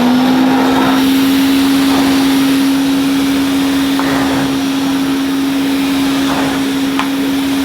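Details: 1980 Hoover Constellation 867A floating vacuum, suppressor removed, being restored: steady, even high hum at one pitch, with no rattles or grinding; the motor sounds fine, so probably no motor teardown is needed beyond cleaning and perhaps a new diffuser sponge.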